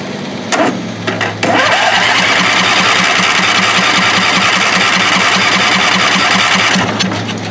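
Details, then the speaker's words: Murray mower with 22 HP twin engine, first start on both cylinders after chasing a dead cylinder: a few cranking clunks, then a deep, even beat on both cylinders with no stumbling; deeper tone, healthy. "definitely got a deeper tone now"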